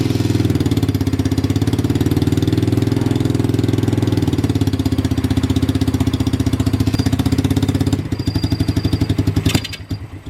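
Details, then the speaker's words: Motorbike-engined off-road buggy, SYM engine of unknown size (owner assumes 125 or 250cc), after oil change, temporary zip-tied fuel tank, first test start: cold engine on choke fires and settles into a quick, even beat; carburettor well adjusted. "well seems to like joke it's cold"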